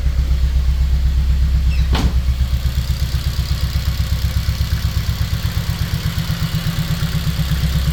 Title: engine misfire or hurt